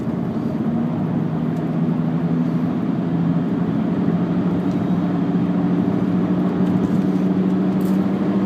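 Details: VW Jetta while cruising: a steady low drone with an even pitch under the road noise. The owner suspects a bad rear passenger-side wheel bearing; not confirmed.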